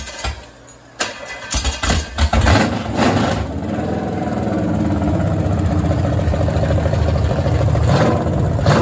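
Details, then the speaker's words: Restored 1970 Pontiac GTO 400 V8 (YS code, 350 hp) on test stand, Summit 2801 flat tappet cam, 9:1 compression, Quadrajet carb: cranks a few seconds, catches with a blip, settles into even lumpy idle; healthy fresh engine. "hang in there, because we're going to start this up and let you hear how nice it runs."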